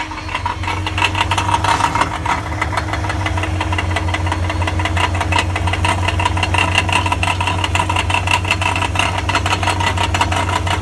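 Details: 1999 BMW 540i, 186,000 miles: loud metallic rattle over idle and engine drone on start-up and when revving, louder from under the car than under the hood; source not pinned down.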